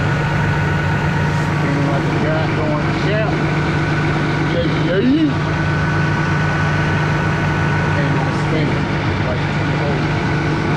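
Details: 2002 Mazda Millenia after radiator fan wiring connector repair for running hot: steady whoosh of the cooling fans over a smooth idle, even and constant with no rattle; fans working properly.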